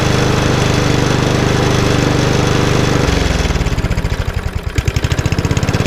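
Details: Lawnmower, RV150 single-cylinder engine with Briggs air box, first start after reassembly and refuelling, carburettor bolts tightened; runs steady at speed then winds down to slower even firing, no misses or knocks; runs fine.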